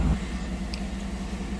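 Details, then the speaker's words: 2007 GMC Yukon XL Denali 6.2 L V8, towed in as a no-crank no-start from a down low-speed communication network, started once the splice packs are reconnected: it fires and drops straight into a smooth, even idle with no misses, knocks or stumbles. "Fire it up. I'm sure she's gonna fire. Whee! She goes. Awesome."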